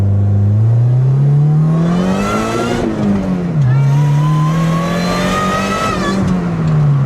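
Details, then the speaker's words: 7th-gen Honda Civic with supercharged K24 swap, driving in second gear: engine pulls hard then cuts out at about 6,100 rpm, inconsistent (first gear reached redline); owner suspects protection cut from boost or lean condition. "Interesting. It's not consistent. So, it's not the computer saying, "You can't go past this RPM." Cuz in first gear, it let me go all the way up to redline. In second gear, it shut me off at about 6,100 RPM this time."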